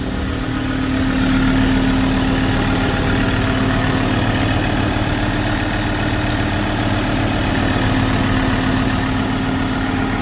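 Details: Diesel that suddenly shut down on the highway and then would not start, now running after the filter was checked and an expensive solenoid was replaced: a steady, even idle with a constant tone and no stumbling or hunting. Normal idle.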